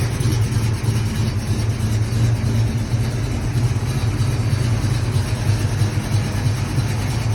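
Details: 1970 Pontiac V8 with Rhoads flat-tappet lifters and iron heads, cruising: deep steady drone with light, even valvetrain clatter on top; normal lifter clatter.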